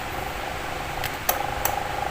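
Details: Toshiba wall fan after repair, with a new bushing and a new cover replacing the cracked one that had made the shaft noisy: smooth, steady hum and a few speed-button clicks, no rattle or scraping.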